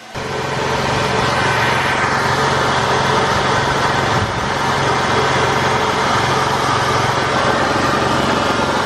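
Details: 2000 Ford Mustang V6 petrol after oil and filter change, no new leaks: steady, even idle; owner attributes a ticking sound to transmission/clutch, normal idle otherwise.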